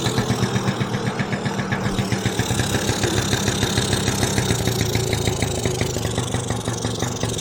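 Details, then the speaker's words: 1986 Yamaha Razz scooter, kick-started after carburetor repair of fuel gushing: quick, even two-stroke putter at a steady idle with no misses, somewhat smoky. Normal idle; an overfilling float valve was the fault, and there are no more leaks. "so that float valve was the deal is overfilling the ball so yeah it runs like you know heck yeah this thing's awesome"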